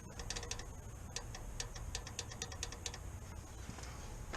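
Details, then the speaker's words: eBay dual-stage electronic boost controller solenoid bench-tested by touching its lead to the battery terminal: faint, crisp ticks, about a dozen in a few seconds, over a quiet background; solenoid clicking and working. "I don't know if you guys can hear that, but that solenoid is definitely clicking, so I think we're good."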